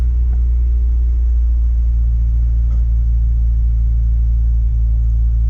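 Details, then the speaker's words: Honda Civic petrol engine, which had idle issues after sitting for years, started cold after the battery was reconnected: a steady, even low hum with no misses or knocks; the idle seems good now. "The idle seems to be pretty good right now. sounds pretty good so far."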